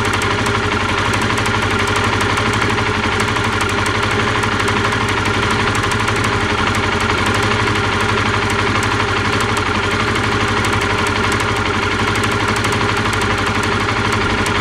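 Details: Honda CBR125R idling: fast, sharp clicking about four per second over the idle, heard while riding as a high-pitched mechanical noise; spark plug lead arcing at a badly corroded plug cap connection, rust cleaned as a temporary fix, lead replacement considered.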